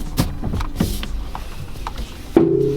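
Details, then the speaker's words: Winter beater car with coilovers: sharp irregular pops and clunks with a metallic ring when steering at a standstill; springs seem to twist and let loose, possibly coilovers need more tension or strut mounts. "when I dry steer this thing or I take tight Corners these coils it's like they're twisting and then letting loose and you can hear the spring popping"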